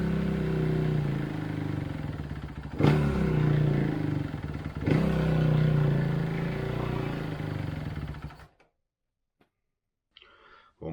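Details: 2011 Kawasaki KX250F single, fuel-injected. Two sharp throttle blips drop back slowly and hang high before it cuts out. Wiring harness, throttle body, injector and sensors checked good; cause still unconfirmed.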